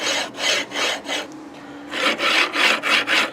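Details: Anet/Creality-style 3D printer bed linear rail: harsh rasping in quick strokes, about three a second, as the carriage is slid; it felt like bad bearings, and the owner suspects pitting or corrosion on the rail.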